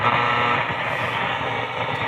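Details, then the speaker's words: Grundig Satellit Transistor 5000 on shortwave: steady crackling static with faint tones; band buttons or contacts are suspected dirty and need cleaning, with chassis removal planned. "You hear it kind of like crackling."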